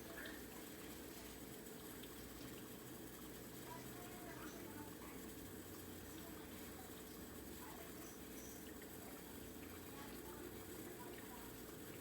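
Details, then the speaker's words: Whirlpool Quiet Partner 2 dishwasher after clearing a clogged filter screen (chopper blade broken): steady pump hum under a constant rush of spraying water, no grinding or surging; top spray arm now at full pressure, wash normal. "everything sounds like it should tons of pressure before it was barely"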